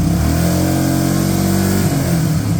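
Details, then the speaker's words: Kawasaki Prairie 650 ATV that sat for 8 years, running after revival with oil topped off and coolant full; the battery reads about 14.1 V, so charging works. A steady, even note holds constant speed with a slight dip, no knocks or misses, while waiting for the fan. "so we're just kind of waiting for this fan to kick on make sure it's working"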